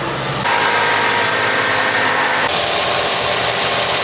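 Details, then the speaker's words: 2006 Toyota Tacoma, 220K miles, after new fuel injectors, spark plugs and coil packs: first start after priming the fuel pump settles into a steady, even idle with no misfire or ticking; truck running well. "The truck seems like it's running good. It does need to drive a little bit, but I am extremely satisfied with this work."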